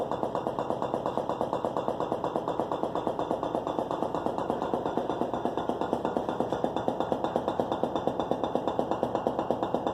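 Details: Whirlpool Gold refrigerator: a dull knock repeats about once a second over a faint hum and happens periodically; it stops if the doors are slammed, cause unknown.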